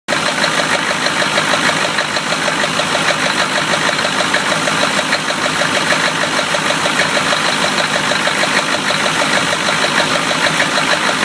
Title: 1993 Chevy rod knock pt. 2